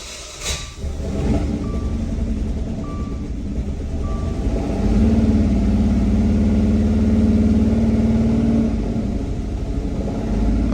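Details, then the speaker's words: 2014 Dodge Dart 2.4 L MultiAir with a junkyard replacement variable valve actuation brick, held at wide open throttle: the engine runs rough, its drone wavering and stumbling; spark knock noted as RPMs climb. "Wide open throttle. It is running, but running like crap."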